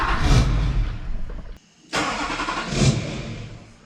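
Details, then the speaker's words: 2004 GMC Yukon XL 2500 with a 2006 LBZ Duramax diesel swap from a wrecked donor truck, first start: it catches with a rough diesel rumble, dies within about 1.5 seconds, fires and fades again; the security system shuts it down because it is untuned, with ECM–TCM/BCM communication suspected. "Yeah, so it's not gonna run without being tuned."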